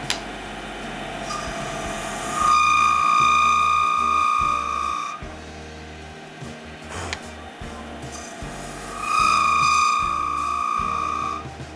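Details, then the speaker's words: Wood lathe turning a resin shaving-brush handle blank: a steady, high-pitched squeal from the cut under the tool, cause unknown, with some tool chatter marks also appearing. "don't know why it's doing that squealy noise but anyway yeah we're getting a nice bit of color through that"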